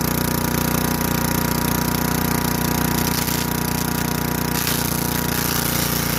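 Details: Craftsman Eager 1 4hp chipper vac (model 987.799790, auction flip) in chipper mode. Steady engine pulls hard with a rough chattering crunch of sticks being chewed. Runs evenly under load.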